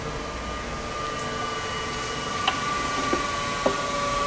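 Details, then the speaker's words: Chevalier FSG-1236AD 3-axis hydraulic surface grinder, spindle coasting down after switch-off, heard up close with the hydraulic oil off: steady clean hum, just a few light ticks, no rumble or grinding; the bearings sound fine. "that said we'll let that wind down a little bit kind of listening to it up close widening down but it sounds"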